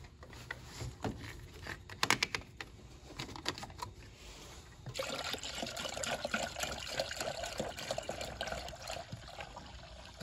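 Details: Car after a water pump and radiator replacement, having air bled from the cooling system through the bleeder valve with a bleeder funnel. Irregular trickling and spitting of coolant turns into a steady stream as the trapped air purges.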